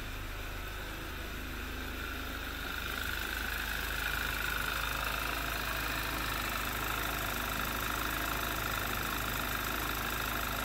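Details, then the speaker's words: 2011 Audi TT Quattro 2.0 TFSI idling after replacing the noisy vacuum pump (exhausts into crankcase) and the high-pressure fuel pump roller tappet: smooth idle with a light, even tick about 220/min, much quieter now but a faint ticking remains. "in person it's it's very quiet i mean like i said you can still hear that noise but it's not very loud at all"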